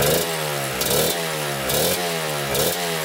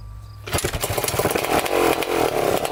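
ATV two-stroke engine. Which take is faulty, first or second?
second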